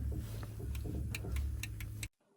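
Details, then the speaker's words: Start attempt on a cold day with battery connected, isolator on and fuel scavenge pump running: light ticks over a low hum with no cranking rhythm; click with no crank, a problem then found on accessing the starter motor. "much to my disappointment it didn't crank I then took the back cover off in the crew area to gain access to see the starter motor which you can barely see and then I found a slight problem"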